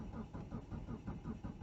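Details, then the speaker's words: Mitsubishi Galant after MAF cleaning and a new O2 sensor, previously running rough: starter churns steadily at about five pulses a second but never fires, a long racket; crank, no start. Owner suspects the fuel pump and fits a Walbro 255LPH. "that's weird but I don't know why I should take so long to start and it's just sounds like a racket"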